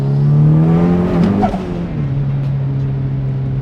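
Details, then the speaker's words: High-compression big-turbo 1.6L Miata just fitted with Toyota coil-on-plug ignition, pulling hard through third with flat-foot shifting: rising engine tone dips and falters briefly mid-pull before recovering; slight misfire under acceleration, shortly before engine shut off. "little bit of a misfire there damn spinning third holy God damn flat push shifting is working"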